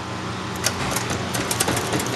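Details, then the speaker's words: 1976 Pontiac Trans Am SE V8 first start, fuel primed, empty lines: uneven stumbling idle with irregular ticks and pops; suspected too lean, vacuum leak or carburetor leak, or fuel starvation, unconfirmed. "No, yeah, it's too lean, it's got a vacuum leak. Yeah, all the above. The usual. Yeah."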